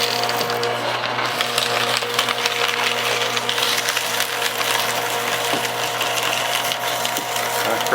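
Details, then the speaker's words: Repaired trash-found Staples SPL-TXC18A crosscut shredder shredding a CD: steady motor hum under hard crackling rattle as the disc is chewed evenly; finely shredded, cutting properly. "okay check the pin you can see it's all finely shredded it's actually a little bit better than my other shredder"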